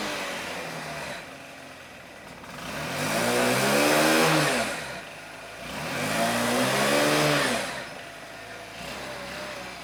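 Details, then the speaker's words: Honda Elite 80cc scooter after carb rebuild kit (new O-rings, idle adjustment jet), warm day: two smooth throttle blips climbing and falling back to steady idle, no misses; runs much better than before, though intake boot still leaks. "that seems to run a lot better than last time"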